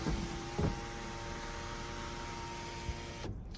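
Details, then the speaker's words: 2007 Toyota Avalon XLS, one owner, 167,000 miles, power sunroof doing one-touch open and close and tilting up and down. The motor makes a smooth, even whine at steady pitch for about three seconds, then stops cleanly. Normal power sunroof operation. "and one touch close. That's as perfect as perfect gets. Tilt up. Bring back down. Sounds and runs exactly like it should."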